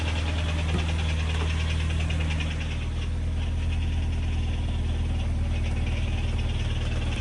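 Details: Subaru Impreza STI idling; steady rumble with a light, uneven tapping about four a second, owner suspects piston slap, cause unconfirmed.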